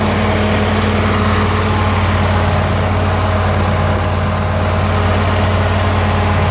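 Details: Ford 302 V8 driving an air compressor, after a tune-up with new plugs, plug wires, cap and rotor and a new fuel pump; steady, even low throb and deep hum with no misses or knocks, running smoothly.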